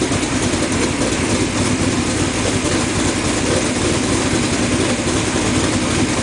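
Steady, even idle with a smooth low rumble and no misses or ticks; the engine is running cleanly.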